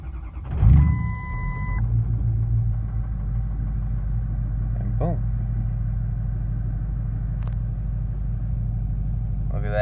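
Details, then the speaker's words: 6.0 Powerstroke diesel just after replacing the missing No. 1 passenger-side injector, low oil pressure watched at start. It catches after a brief crank and settles into a steady, even low rumble with no lope: normal diesel idle. "at that, nice and smooth."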